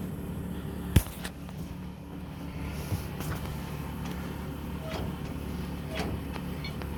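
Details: 1963 Mack gasoline truck, first start after 4 years sitting (suspected bad gas), rag in air intake instead of unhooked choke: a couple of knocks at startup, then low even rumble running on its own; owner unsure about water pump sound.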